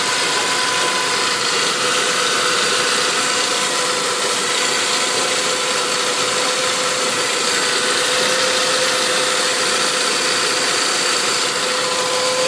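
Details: Saab 9-5 turbo engine, turbo 10,000 km old, running E85, not fully cold (about 30 °C). Steady idle with a constant mid-pitched tone and a loose, uneven ticking; the source of the abnormal noise is undetermined.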